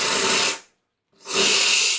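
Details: Wega commercial espresso machine after fitting a new 2940W heater element: two strong bursts of steady high-pitched steam wand hiss with clean starts and stops, full healthy pressure, steaming a jug of cold water in about 20 seconds.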